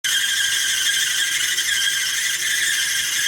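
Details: Duet Sport dryer: loud, steady high-pitched squeal as the drum turns; the drum support wheels are shot. Fix is new support rollers, idler pulley and belt; the squeak is described as back.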